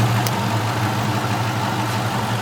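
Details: Car started after cleaning a corroded battery terminal, alternator putting out about 14 volts: steady, even low rumble with no knocks, misses or hunting; engine idles smoothly and healthy.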